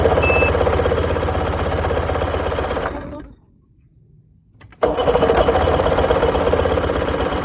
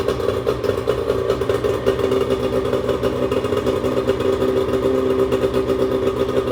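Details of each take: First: Bass boat outboard that is also leaking fuel: fires up, runs lumpy and uneven at about four pulses a second, then cuts out twice; owner suspects it is running on one cylinder, not confirmed. Running on one cylinder. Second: 1996 bass boat outboard running steadily after cleanup, with an even engine note, light mechanical clatter and no misses or surging; owner had earlier feared it was running on one cylinder and leaking fuel. Normal running.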